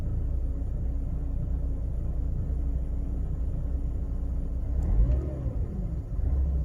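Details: Mercedes W203 2.0 petrol on cold start: low, lumpy rumble with uneven beat for about a minute or less, with a smell of petrol; rough idle, no fault found by diagnostics, cause unknown.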